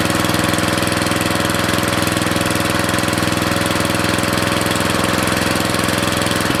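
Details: Briggs & Stratton 13.5 cast-iron-sleeve riding mower engine, rerun with air filter back on after suspected oil in cylinder from engine tilted on its side; even steady single-cylinder thumping, no misses or stumbles, smoke burning off; good running.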